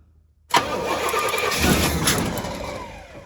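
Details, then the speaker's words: Pontiac GTO being converted from bottle feed to tank feed: about three seconds of steady starter cranking, roughly three turns a second, with no firing; the previously arcing spark has stopped, so no spark reaches the plugs. "wait we got no spark lightning lightning there's no longer lightning yeah that big arcing spark is not sparking anymore"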